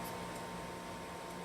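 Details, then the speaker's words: Pellet stove first start of the season after cleaning out leftover ash and inspection: intake blower starts and auger runs, quiet steady blower hum with low drone, no rattle or scrape; normal pellet stove startup. "It's, the intake blower starts. I think you can hear that. And the auger's running."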